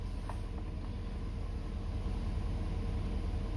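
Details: 2019 Ford F350 6.7 Powerstroke diesel, warm, idling after fuel filter changes, before revving to purge remaining air; steady low rumble with an even, unhurried beat and no knocks or misses; a healthy idle.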